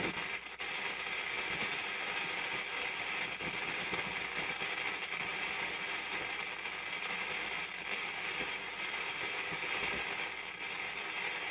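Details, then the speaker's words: Antique Philco 46-480 AM/FM/SW radio on the FM band with no antenna: constant hiss and faint crackle, no station locking in; it needs an outside or good antenna to receive FM. "Yeah, would need an outside antenna for FM, or a good antenna anyway. I don't have nothing near me that it can pick up. But it's trying, right? You can hear it trying. Just picking up noise."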